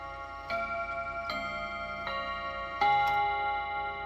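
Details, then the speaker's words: Freshly reassembled chime clock after first service, chime test at the 45 position: clear bell notes about every 0.8 seconds over quiet ticking; quarter chime sounds right. "So before we get it ticking, let's just make sure our chimes are working. Should be a 15. That's good. Should be a 30. That's good. Or 45."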